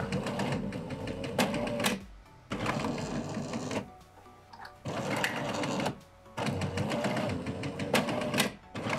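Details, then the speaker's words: Jura E80 espresso machine, also leaking, not detecting drip tray, error 8: brewing unit whirs and grinds in slow, labouring bursts, motor tone wavering under heavy load; brewing unit running slowly and straining. "jak słyszycie że ten zaparzacz tak ciężko chodzi słychać że on tak bardzo powoli męczy się nie męczcie tego ekspresu"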